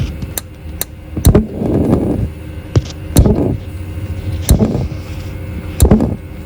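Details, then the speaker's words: Dometic RV fridge switching from shore power to gas, access panel removed: sharp igniter ticks about once a second for a long time before the flame catches; delayed burner ignition, owner suspects insufficient gas supply through the line. "oh that took a while did you hear how long that took to start so my real problem here might be my gas"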